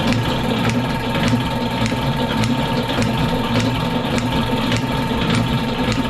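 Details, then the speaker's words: Lewis metal shaper running, table cross-feed advance under test: steady motor drone with a soft tick about once a second; the ratchet linkage binds and rocks back and forth instead of indexing. "So, what's happening there is nothing. Uh, this is kind of bound up and it's just moving it back and forth, back and forth."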